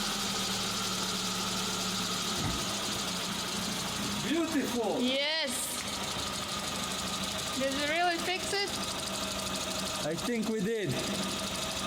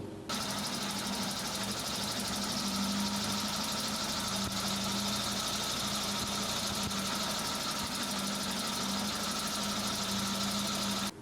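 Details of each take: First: Hot Suzuki Samurai petrol engine, throttle body warm, fires first try after fuel pressure regulator replacement (old one leaked fuel into vacuum line, causing hard warm starts and bad idle), then runs smooth and steady with even revs, no misses; apparently fixed. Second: Suzuki Samurai petrol engine with failed fuel pressure regulator leaking fuel into its vacuum line, before repair: steady drone with thick rattly hiss throughout, rough over-rich idle from over-fueling; also hard to start when warm.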